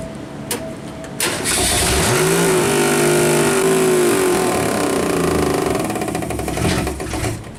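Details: 1962 Ford Falcon engine during failed break-in, revved and held; rough knock rides the revs, owner doubts bottom end and first suspected valve cover/rockers; crankshaft striking the oil pan.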